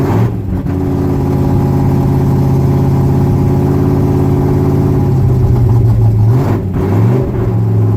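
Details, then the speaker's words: 1966 Ford pickup V8 idling and revving after replacing bank 1 header gaskets and retightening loose collector bolts; deep even exhaust note, no ticking or puffing leak. "but she ought to freaking sound good now. Yes!"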